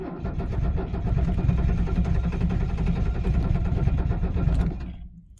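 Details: 1978 Mercedes 300SD diesel, 47 years old, cold start at 22°F without ether. Slow labored cranking that tapers off as the batteries sag and never fires. Diesel cranks but won't start.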